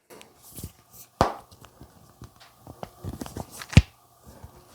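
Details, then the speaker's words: Vivo X Fold 5 after three months of use, folded and unfolded right over the microphone in a quiet room, never taken to the beach or dirt. Sharp little crackles and snaps come from the hinge: hinge crackling. "It has some crackling in it. [Music] You can hear it right there. Um, it has some crackling right in the hinge."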